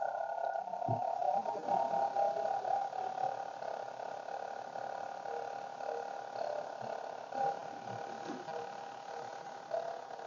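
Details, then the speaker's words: Commodore CMD HD-20 hard drive, original drive powered on with 5 V and 12 V, not connected to a computer: a thin wavering, warbling whine that rises and dips and never settles to a steady spin. The drive is failing to spin up, and the error light follows. "the disc drive is just not spinning it's warbling it has a little warbling sound so it is kind of spinning but it just sounds like it's on its last"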